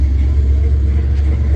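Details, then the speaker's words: Small-block Chevy 350 V8 from an S10 swap, after fixing low voltage (about 11.4–11.5 V) at the distributor with a new connection: cold start without pumping fuel, deep steady even idle, no misses or knocks; overnight hard start fixed. "First start, it almost fires too easy. For instance, you come in here, cold start. I don't even have to pump the fuel,"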